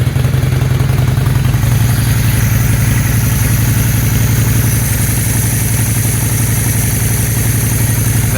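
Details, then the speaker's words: 2001 Honda Shadow VT600CD V-twin, which bogs on acceleration: it starts and idles fine without choke, a steady, even thumping idle with no stumbles or surges. "bike starts and Idols perfectly fine I don't even need the choke which might be another issue but we'll see bike starts idle's just fine"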